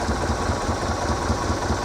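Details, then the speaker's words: 1978 Sylvan boat, 2.5 liter Iron Duke engine with new aftermarket alternator: steady, even low idle without knocks or misses, normal; charging at 13.49 volts at idle. "All right, so we're just at an idle right now. Everything's fine."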